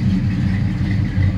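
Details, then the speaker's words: 1984 Chevy C10 Silverado after an engine-bay fire, repaired: deep steady V8 idle, even low rumble, no misses, knocks or ticks; normal idle after repair. "so anyway I'm just really blessed really blessed but that's all that it was and it's running good we good to go so pretty happy about it well real happy about it"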